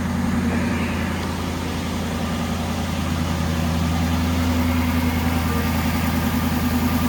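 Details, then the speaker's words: 2012 Aston Martin V8 Vantage, dead cold, idles in the engine bay with a smooth, steady low hum and even pulse, no ticks or knocks; whisper-quiet, normal cold idle. "I mean, you can see this thing's dead cold. Quiet engine, runs phenomenally. Whisper quiet, runs like a champ."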